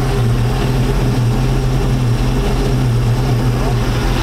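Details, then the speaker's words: 1999 Chaparral 1930 SS boat with a Mercruiser V8, warming up, in neutral: low, even burble with a steady beat and no misses, knocks or surging, idling right at the 650 rpm spec printed on the air cleaner; normal idle. "i like how it has the idle rpm and neutral on their 650 let's do our idling at right now dude that's dead on that is dead on man"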